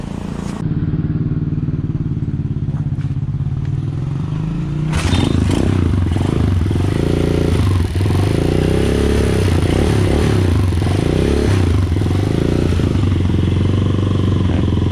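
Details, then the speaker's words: Motorcycle with a battery-operated CDI and no battery fitted: after a few seconds it fires into a steady low thrum with even pulses and no misses. It runs normally because 12 V still flows to the CDI. "Mga boss, napakita ko na sa inyo na umaandar yung battery operated na CDI kahit walang battery ano."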